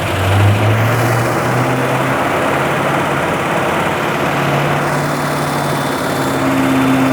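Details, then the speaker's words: 1980 Rover SD1 3500 Buick-derived aluminium V8 after a full rebuild, first run: loud, deep, steady roar at fast idle with no knocks or stumbles; much louder and smoother than before, paint smell from the manifolds. "Non suona male, però. - Suona bene. È molto più rumoroso di prima. Molto più forte. - Sì. - Anche molto più dolce."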